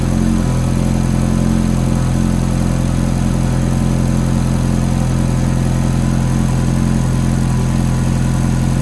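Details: Ferrari F430 V8 at cold start, idling steadily with a quick, fairly even tick of about three per second over the low rumble; the source is not pinned down.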